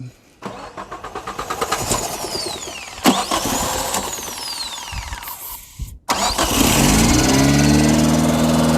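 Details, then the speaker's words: Chevy Tracker two-door 8-valve that had been running rough and misfiring, started with carb cleaner sprayed into the intake after its poorly firing spark plugs were pulled. Even cranking catches into a steady idle, running way better: a normal start. "so i am just throwing some carb clean in there um it's running way better already"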